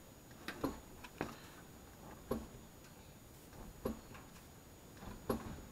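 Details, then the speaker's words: Mazdaspeed 3 rear suspension after new rear sway bar bushings, car pushed down at a rear corner: sharp knocks, five in six seconds, suspected rear shock. "from the way that sounds it sounds like it's something to do with the rear shock"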